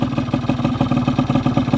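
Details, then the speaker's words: Honda Vision scooter after barrel and piston replacement, idling during ring bed-in: even steady single-cylinder putter, the former tip-tip ticking noise now gone; healthy idle. "No ticking. That sounds so nice. And I'm not getting that ticking noise, that sort of tip, tip, tip noise that I used to get."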